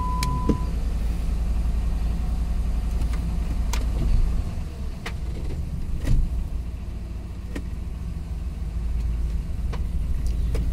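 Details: Jeep Grand Cherokee idling in neutral after a no-crank/no-start diagnosis and code clearing: low, steady rumble with no misses or knocks, a few light outside clicks; normal settled idle.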